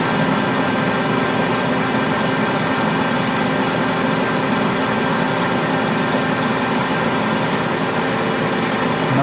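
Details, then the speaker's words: Lathe parting cut with Accusize QTR 22 parting tool kit in 303 stainless at 180 rpm under power feed, no lube, fair stick-out: steady even hiss and hum, no chatter or squeal; normal clean parting cut. "problem 303 stainless power right through it without even having any issues whatsoever"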